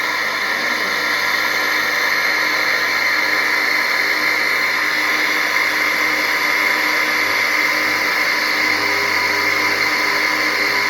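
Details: Water pump motor running while drawing water from a bucket: steady, harsh high-pitched whirring from a worn motor bearing.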